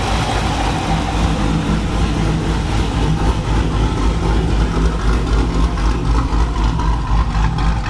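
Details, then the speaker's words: Dodge Challenger Hemi V8 after a bad lifter was replaced with Hellcat lifters and a bad cam with a new Comp 274 cam: deep steady idle, even burble, no lifter tick or misfire; healthy idle. "replace that uh bad lifter with a fresh set of hellcat lifters and replace the bad comp cam with a brand new comp companion 274 these back to purring like a kit nice and quiet"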